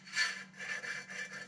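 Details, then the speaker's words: 2015 Mitsubishi Lancer rear wheel hub spun by hand with rotor on: dry raspy grinding swelling and fading a few times a second; bearing suspected bad, rotor possible; bearing to be swapped first. "here's one way to see that at least the bearings are bad but it could also be the rotor as well but i'm pretty sure it's the bearing you hear that so it's grinding right there somewhere"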